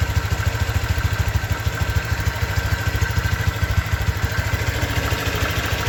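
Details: 2023 Honda Vario 125 new scooter at just over 1,000 km, idling: even, steady thumping about three pulses a second, no knocks or rattles; owner reckons it runs smoother than at 500 km, crediting correct break-in. Normal idle.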